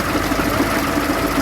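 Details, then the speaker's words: Transit Liner bus diesel with idle raised slightly: rough, rapid ticking grind over the idle, tracking engine speed. Worn fan drive bevel gear mitre box, also a belt and pulley problem. Fan drive mitre box grinding. "That gearbox for the fan? I'm not gonna like my answer, but I think that's the mitre box."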